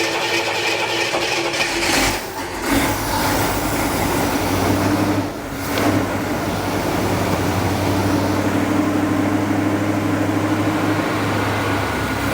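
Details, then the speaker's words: 1978 Jeep J10 Honcho carburetor: runs fast and uneven, hangs high instead of returning to idle; weak accelerator pump spring, temporarily zip-tied, and weak throttle shaft return spring; needs new accelerator pump spring. "It just needs a new spring on the accelerator pump, and that's it."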